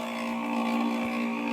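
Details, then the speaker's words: 1991 Dodge Grand Caravan SE windshield wiper motor, switched on during the revival; steady, loud electric whir around 200 Hz; works on high, low and intermittent but is noisy. "Wiper motor. That was a scare, by the way. Oh, I hear it. It's on. Oh, it works. We're in business. It's loud. Listen to it go."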